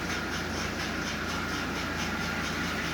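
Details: Marx 999 toy locomotive, bought for $8 on eBay, missing its front and rear trucks, likely unused for 40 to 50 years and now repaired: steady, even motor whir with a regular wheel rhythm, running forward and reverse; normal running.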